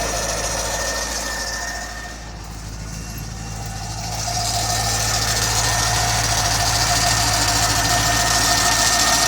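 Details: C5 Corvette LS1 V8 idling with a thin, steady high squeal riding over the engine hum, heard under the hood.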